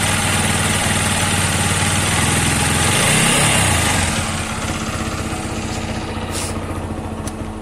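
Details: TVS Apache 160 4V Special Edition motorcycle, a new bike that recently had its bore changed. It idles with an even internal knock about four times a second; connecting rod or crankshaft noise is suspected but unconfirmed.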